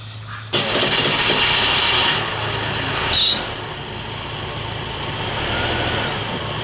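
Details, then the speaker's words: Jeep CJ-7 after a new fuel tank, fuel pump and fuel gauge: short crank, catches almost at once and settles into a steady, even run; one of its quickest starts, clean with no stumble. "Well, it's one of the quickest times to start. Did it? Start faster."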